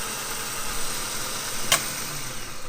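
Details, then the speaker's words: Replacement starter motor for an Opel Astra GSI Z20LET, bench-tested off the car: a steady light whir with one sharp click as the pinion shaft slides out to engage. Normal starter motor operation. "basically this shaft slide that once is electrified and start spinning and that's what engages the fly so you can see at a minute it's disengaged"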